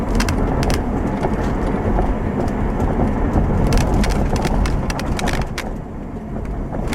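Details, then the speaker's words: 2007 Subaru Outback after replacing the failed left rear upper strut mount: test drive over bumps with the microphone in the back by the upper strut mount; steady road rumble, only light ticks from loose quarter-panel trim resting on the camera, no clunks; rear suspension quiet. "well okay I am pleased with that result I'm going to say that any noise that you probably heard was that rear quarter panel piece was actually sitting on top of the camera"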